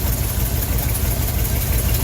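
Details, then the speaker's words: Older car or truck with a vacuum-advance distributor, warm idle after an ignition tune-up, timing being set by ear without a timing light: lumpy, stuttering, uneven idle instead of a smooth beat; rough idle from incorrect ignition timing. "I'm sure you can probably hear it's still a little stuttery."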